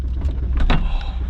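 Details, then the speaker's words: 1985 Buick Riviera with a 5.0L 307 V8, a parts car: short electric motor whir and light clunk as the sunroof panel moves; the sunroof motor works normally. "You guys ever seen one of these Rivieras with a sunroof? Hell no. No, this is pretty cool. It works too."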